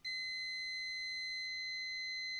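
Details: Laptop motherboard repair, multimeter across a diode after a part was removed: one steady high-pitched continuity beep, reading about 0.1 (near-short) in this direction, as expected.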